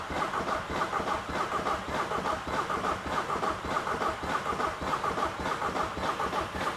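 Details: £100 Seat Ibiza common-rail TDI diesel project car; cranking attempt with oil, piston-ring and block fragments already found under the engine; slow, regular cranking at about 100 pulses a minute with a chirping whir, never firing. Broken piston.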